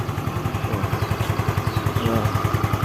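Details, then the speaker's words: Scooter (Xeon) after engine repair, previously running rough: idles smooth and clear like new, steady even low thumps around three a second with no knocking, normal idle. "Suaranya halus, jernih, persis seperti motor baru,"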